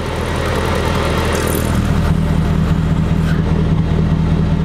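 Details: Hummer H3 Alpha V8 at idle with added switch-controlled active exhaust: smooth burble deepens and grows louder about two seconds in as the valve opens, steady and even; normal idle with active exhaust open.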